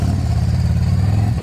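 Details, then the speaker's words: 2024 Harley-Davidson Road Glide after repairing the coil harness that caused limp mode on one cylinder: deep, even V-twin pulls cleanly under throttle with no misfire. Power restored, check engine light still on. Normal revving. "The bike does have its power back. She's running like a champ."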